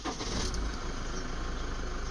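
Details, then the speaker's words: Toyota D4D diesel (Hilux/Fortuner), first start after timing belt replacement: cranks briefly, catches cleanly and settles into a steady, even clatter; healthy start and idle. "Awesome. So it's sounding very good. Sounding very good."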